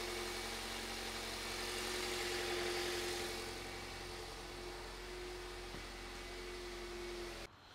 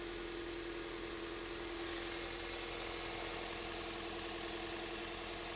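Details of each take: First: 2001 Toyota Avensis after repair: smooth, even idle with steady low hum, no misses or stumbles, waveform looks okay and car runs a million times better; normal idle after repair. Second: 2001 Toyota Avensis, owner reported bubbling noise, idling: steady idle with a faint uneven lope and light buzzing hum; scope shows no spark from cylinder four coil, dead cylinder from failed ignition coil; misfire at idle.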